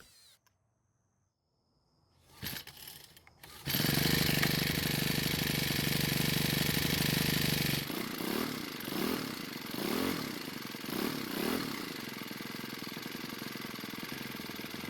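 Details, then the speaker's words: Cub Cadet four-stroke trimmer with a new recoil starter and low compression: catches after a few pulls, revs high and strong, then idles with crisp blips. Starts and runs very well. "it so it seems to be starting and running very well even considering the low compression reading"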